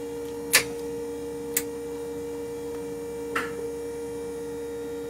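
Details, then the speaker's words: 1978 Jeep CJ7 electric conversion, drive motor spinning up after being balanced (it had been quite out of balance); steady, even hum with a faint tone and a few light clicks, no wobble or thumping: normal smooth running. "coming on nice and smooth now take a look at the earlier videos and you'll see that it was quite out of balance"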